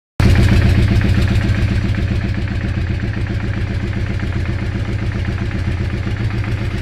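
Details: Weird engine sound: a rough, uneven clatter of about four beats a second over a deep engine rumble, an internal knock of unknown cause.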